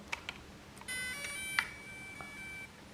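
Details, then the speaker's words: DJI Mini 2 drone powering on after a short press then press-and-hold of the aircraft button; a few clicks, then a short sequence of clean, high electronic tones as the light starts blinking. Normal power-on. "I'll hear the sound and this light starts blinking. That means my aircraft is turned on."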